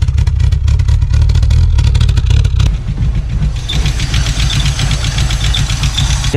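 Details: 1986 VW Golf 2 with a 1.8 GX 90 hp engine, stood nearly five years: a lumpy, uneven low idle with a stumbling beat and some hissing, rough running from an intake air leak; the problem was later fixed.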